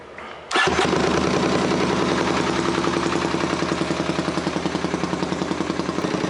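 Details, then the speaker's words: 1978 Honda CX500 with faulty ignition, battery charged: catches on the starter, then runs with a lumpy, uneven beat on only one cylinder; dead cylinder from no spark, plug boot not seating. "it's clearly only running on one cylinder so i need to figure out if it's a spark issue or if it's a fuel issue"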